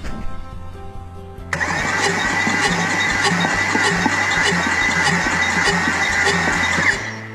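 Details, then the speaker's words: Salvage Audi S6, compression test with new starter; cylinder reaches only about 50-60 psi, owner suspects sticking rings after the car sat. Even cranking about four beats a second with puffing whoosh back through intake; low compression. "Alright, well, that one's definitely not happy. Guess we'll go see what the next one says."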